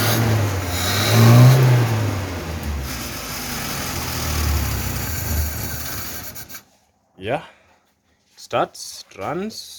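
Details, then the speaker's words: 1974 Citroën DS21 revived after six idle years, with the air cleaner off. It revs roughly on throttle, then sags and cuts out within seconds once the pedal drops, with no idle. Idle adjustment still needed. "now we just need to work our way onto the idling and have it idle when you leave the throttle pedal it dies immediately"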